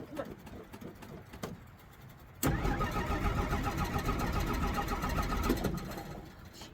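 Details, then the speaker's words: 1963 Jeep Gladiator, battery probably nearly dead after the key was left in the ignition, pedal pumped: quiet fumbling, then it catches, runs unevenly a few seconds and sags away; hard starting and stalling, with ticking noted afterwards. "Jeez. You gotta start up and stay cranked up because your battery's probably almost dead."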